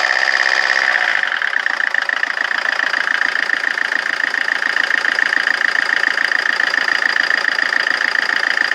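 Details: Rover 25 diesel at idle: a pulsing beat of around three and a half per second with an uneven, lumpy rhythm over a tinny whine, so it is idling rough.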